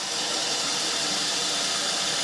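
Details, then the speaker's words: New home fire sprinkler system at final inspection: steady, even rushing hiss as pressure is released through the test valve, gauge dropping to trigger the interlock that sets off all interconnected smoke alarms; normal operation. "So, let's mimic a fire sprinkler system going off. So, right now we're releasing the pressure."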